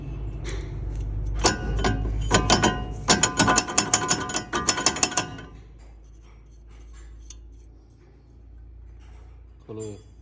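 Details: Suzuki Cultus wheel: bursts of sharp metallic clicking and ratcheting, about three a second, then quiet; abnormal wheel noise, cause unclear.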